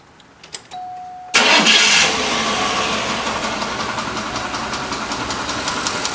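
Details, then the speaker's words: Ticking at idle on a 7.0L 425 cubic inch Cadillac Coupe DeVille engine that needs repeated pumps of gas to start; a steady, fast, light tick rides over the idle. Owner suspects the Autolite spark plugs, replaced with AC Delco plugs and a new coil. "I got this ticking noise in here after a lot of study I realized that I shouldn't use auto light spark plugs"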